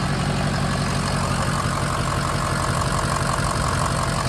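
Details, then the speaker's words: Diesel truck idling smoothly and evenly, no misses or hunting, after a secondary circuit code was fixed by reconnecting one harness plug that had been left unplugged; normal idle. "It sounds good though, you hear it? How promising."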